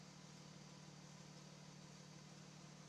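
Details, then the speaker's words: E-One fire engine pump engine with a pressure governor: after the valve is opened back to the full hydrant volume, a steady, even low diesel drone idles down smoothly with no knocks or misses; running normally. "So, you can hear the engine idle down again because I've gone back and given them the full"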